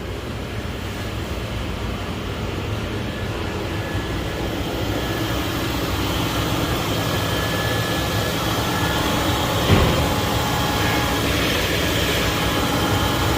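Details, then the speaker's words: 2000 Lincoln Town Car after fuel pump replacement, which had started, run, shut off and not restarted for hours; primed, then cranked and fired right up, running steadily without stumbling, missing or dying. Normal running. "I did another key on, it cranked it and start right away. Probably pushing air through the system, turned it off and then turned it back on. Hit, fired right up."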